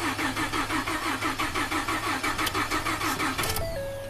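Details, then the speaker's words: Ford F-150 EcoBoost, 220k miles, crank no-start with low fuel pressure code: steady cranking about three pulses a second without firing; desired fuel pressure 900 but actual drops fast after initial spike; high-pressure pump or timing suspected. "See, desired stays at 900, and the actual fuel pressure drops pretty fast from the initial spike of, try again."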